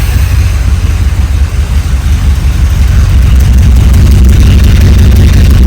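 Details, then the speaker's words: 1972 Dodge W200 Power Wagon back on the road after sitting for years, smelly exhaust: deep, steady V8 burble at idle, loud and even, no miss, knock or tick; a great-running, healthy engine. "Sounds awesome."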